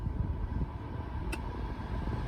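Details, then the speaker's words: 2000 BMW E38 740iL cabin blower after replacing the blower motor and blower resistor: smooth steady airflow rush with a faint constant hum, no rattles or squeals; it works normally. "Yay, she works like she's supposed to. So you can hear the"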